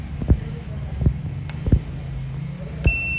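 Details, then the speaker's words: Samsung UA50TU8080G 50-inch LED TV that blinks, backlights and shuts off repeatedly: handling knocks, then a slow multimeter continuity beep holding steady while tracing panel ribbon lines (LC1, VGH, VGL, clock), confirming the connection. "Ayan, tumunog na siya. Dito po siya."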